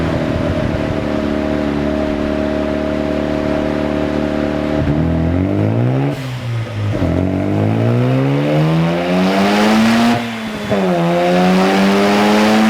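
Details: Mazda FD RX-7 rotary on the dyno during a tune: clean rising note climbs smoothly through each full-load pull with no misfire or stutter, and boost comes on evenly and super smooth; healthy.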